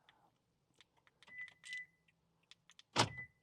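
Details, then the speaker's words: 2021 Toyota Tundra door locks tested with newly programmed spare key remote, original key removed from ignition: two quick crisp clunks with a short chirp each, locks snapping over cleanly; actuators working normally. "Look at that. We can lock and unlock the doors again."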